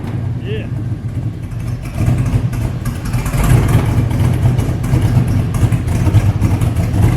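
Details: Ford F-350 ramp truck with a swapped 8.1 big-block, stock motor and ECU, on its cold first start with the MAP sensor unplugged (no coupler): the V8 rumbles roughly and bogs and surges unevenly whenever throttle is given; the stumble's cause is not confirmed.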